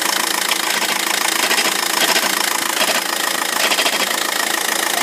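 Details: 2006 VW 1.9 TDI diesel with DSG automatic at idle: hard, rapid, irregular metallic rattle from a worn dual mass flywheel needing replacement.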